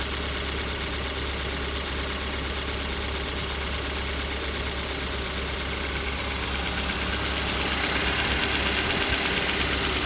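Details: Kia Soul 2 1.6 engine cold: even, rapid knocking at about three per second over the idle, rising slightly as revs pick up; cold-start knock.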